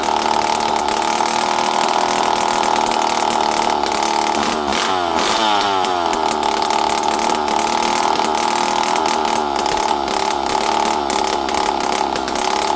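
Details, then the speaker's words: Poulan 5200 chainsaw, run again after 5-6 years, holds a steady high two-stroke buzz with a brief wobble midway, no stumbling or bogging; starts and runs good. "I know you guys like hearing this stuff run. So do I. This thing runs good, though. It starts good."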